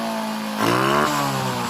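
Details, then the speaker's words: Honda XRM 125 with hard-starting problem finally catches after a moment, revs unevenly, then settles into a shaky idle; late start points to the carburetor still needing more cleaning. "No, umandar na sa wakas guys, ibig sabihin kulang na ng linis sa kanyang carburetor."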